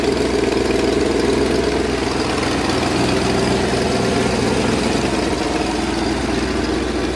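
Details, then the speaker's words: 1964 Chevrolet Impala V8, warm and idling after a blip of gas: faint, quick puffing tick. Exhaust leak on the driver's side, sounding like a small gasket at the bottom. "exhaust leak i can hear that on the driver's side"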